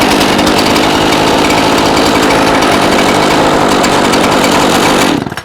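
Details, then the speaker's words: Gas chainsaw warmed after half-choke start, throttle dropped to idle: steady, even two-stroke buzz with no hunting or stumbling before shutoff; normal idle. "Okay, so that's normal idle."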